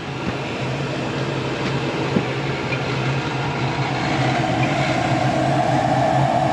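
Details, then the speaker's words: Furnace running steadily about 5–6 minutes after being cleaned, having earlier shut off after 2 minutes on a no-heat call; steady rumble, low hum and airflow roar, no clicks or cut-outs; dirty filter needs changing; normal operation. "So right now, it's still running. I'm just listening for any weird sounds or change the filter."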